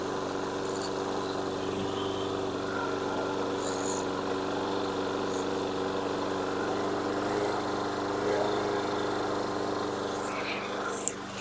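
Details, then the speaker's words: 2006 Yard Machines single-cylinder mower (new recoil, carburetor cleaned) running steadily at a modest, even, slow speed. The governor throttle spring is about to be tensioned toward the front of the engine to raise RPM because engine speed is low. "more tension on the spring increases RPM so I just want to Goose it up a bit so that's the explanation"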